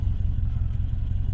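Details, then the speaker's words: Subaru Legacy with 259,000 miles after engine refresh, about 28 minutes running, on alternator with weak battery and battery light on: low steady burble, even beat, no misses, knocks or ticks; idle smoother than ever, normal. "the idle is smoother than it's ever been."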